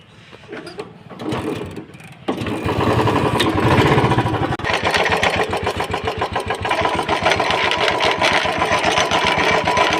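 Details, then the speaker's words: Royal Enfield Classic 350 BS4: fast, regular rattling clatter about four beats a second over the running engine, from the clutch side, sounding as if inside the engine; noisy starter pinion. "Clutch के side से ना आवाज आ रहा है और ऐसा आवाज आ रहा है लगता है कि इंजन में ही साउंड है।"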